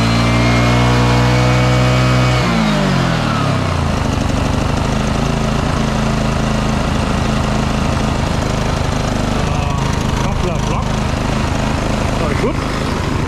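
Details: Petrol-engined job-site generator after service, first start-up: the engine spins up and settles into a steady, even drone without misfires or hunting; running smoothly and healthy.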